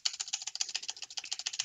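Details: Keyboard spacebar after repair, with thin toilet paper packed into the stabilizer slots so the left side no longer pops out: quick, even clicks about a dozen a second, each crisp with no rattle or loose clatter. Normal keystrokes.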